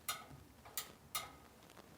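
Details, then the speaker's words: New Whirlpool 8318084 lid switch installed in top-load washer that filled but wouldn't spin or agitate, lid closed: sharp crisp single click each time, which the old switch lacked; lid switch actuating properly. "then when we close the lid you can see how it comes right back up in there and now you can hear it click see"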